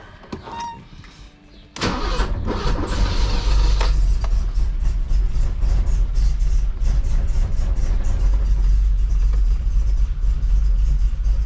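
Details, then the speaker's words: 1984 BMW 733i (E23) after wasted spark ignition conversion and new ECU tune: cranks, fires and runs with lumpy uneven low beat that never smooths; runs badly due to significantly wrong ignition timing. "it sounds like we're getting somewhere. It's just some significant timing problem. I know. My timing is off."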